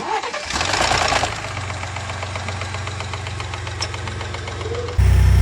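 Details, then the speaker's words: Lincoln engine (shared with F150/Raptor), VVT cam phaser rattle before repair: fast regular ticking rattle over low hum; at higher mileage phasers fail, locating pins worn oval so they can't lock, losing pressure. "像这款发动机也是有一个通病，像F150啊、猛禽啊也是搭载同款发动机。到了一定的公里数，它就链能容易出现异响，链能那边损坏了。"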